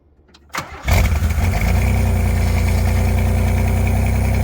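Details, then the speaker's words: Pontiac Fiero with catalytic converter removed, nearly straight pipe, not run in a long time: cranks briefly, catches and settles into a loud, deep, raspy idle; slight oil burn noted. "It's kind of late and it is kind of loud because they took out the cat on it, so it's kind of straight pipe between the two exhausts."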